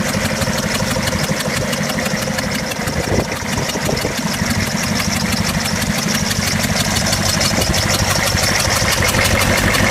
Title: 6.5 Detroit diesel running with misfire